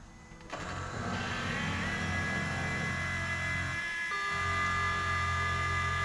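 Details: New Holland T8020 tractor, Cummins 8.3 L diesel, first start after installing new Bosch injectors: cranks and fires within a second, then steady, even idle without misses, music partly covering it.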